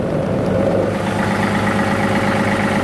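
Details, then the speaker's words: 2018 John Deere 3038E diesel tractor, previously intermittent crank-no-start with code ECU A 523249.05 (crank position sensor), now fixed: steady, even diesel clatter at settled idle, no misses or hunting; running normally. "But before, it was one of them kind of like hit and miss kind of things. Like it would work when it wanted to, not work when it wanted to. It was just all over the place. But now, she fires right to"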